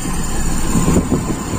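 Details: Toyota Kijang Super petrol engine, carburetor idle jet deliberately undersized without changing the second air bleed, so the idle mixture runs lean. Idle is low and slightly uneven, with a brief surge when the intake is partly covered by hand in a hand-cover test.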